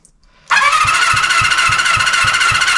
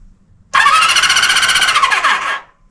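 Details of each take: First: 1974 Honda CB350F four-cylinder, long sitting, cold, cranking compression test on cylinder three after adding oil: reading up slightly but still low. Cause unconfirmed: sticking valve, tight valves or rings suspected. Steady cranking whir, about three and a half soft pulses a second. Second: 1974 Honda CB350F four-cylinder, cranking on the starter while checking electrics; power at coils, spark not yet checked. Brisk, even whirring crank about two seconds, no drag or grinding; normal.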